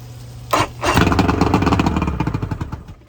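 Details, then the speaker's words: 1999 Bayliner Capri 125hp Mercury outboard during rebuild, old spark plugs: sharp catch, then a ragged two-second run that fades and dies; won't stay running, carburetors blamed, lower carbs spitting fuel, fuel treatment considered to dissolve deposits. "So there she is. She won't stay running. I might put some fuel treatment in there, let it sit in the carburetor, and see if it dissolves anything."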